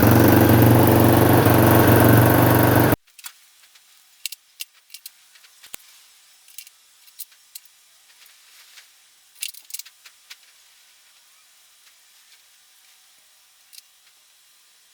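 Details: Honda CBX250 electric-start engine for a 1985 Honda XL250R swap, started in neutral on choke: engine catches and runs with a loud even roar about three seconds, then quiet to light clicks; fires and runs fine.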